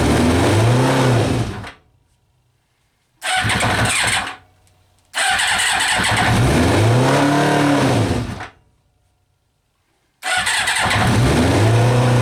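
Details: Kawasaki Eliminator ZL600 old four-cylinder bike that had not run, with fresh petrol, new plugs, cleaned carbs, new battery, fresh air filter and old oil, catches on choke and runs in bursts, revs swelling and falling when blipped: normal running.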